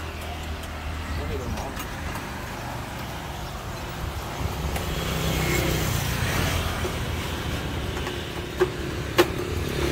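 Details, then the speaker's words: Honda RSX 110 (2010–2011) idling before teardown, loose uneven rattle and chatter on top; worn, stretched cam chain and worn guide roller. "anh em thì xe này banh sên cam rồi nè trước khi là tháo ra mình sẽ nổ máy cho anh em nghe thử nha"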